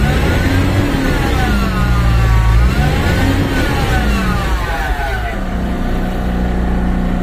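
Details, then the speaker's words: MAN diesel dump truck revived after six months sitting, electrical fault (cut wires) fixed and battery replaced; revved immediately after fresh start: revs rise and fall smoothly with throttle, no knocks or misses; normal revving. "Revolution kaagad sa bagong start. Revolution kaagad bagong start para labas yung mga berzer."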